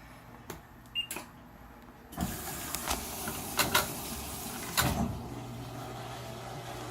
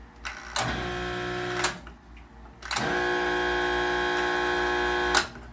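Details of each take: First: Maytag Neptune MAH4000AWW washer after removing and servicing its noisy drain and recirculation pumps: soft rush of draining water over a low, steady pump hum with no grinding. Drains quietly and normally. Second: Maytag Neptune MAH4000AWW washer with the water supply off: two loud buzzing, droning drain pump bursts that start and stop abruptly. The pump is straining; the second (recirculation) pump is suspected to be seized too.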